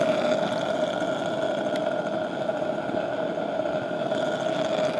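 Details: 15HP Pattin Brothers engine hot-tube gas burner, fed through a low-pressure regulator at about 12 inches of water and a leaky valve due for replacement: steady, even roar with constant mid tone, no sputtering or popping; burning normally.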